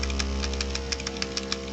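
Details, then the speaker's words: Model-paint shaker running normally: steady low buzz with a quick, irregular metallic rattle from the small metal ball in the paint container that breaks up caked pigment. "If the pop filter is not working, then you can hear the buzzing of the paint shaker thing, and that rattling sound is just a little metal ball in the paint container that is there to beat up on the pigment,"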